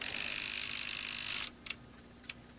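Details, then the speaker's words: ASTAR DVD player after mechanism oiled and adjusted, drive belt unscrewed and loose: brief high whir then light isolated ticks as laser sled settles, normal sled drive movement; owner suspects limit switch not being made; disc still would not read. "that's a normal behavior that's the belt there this has been unscrewed so it's loose"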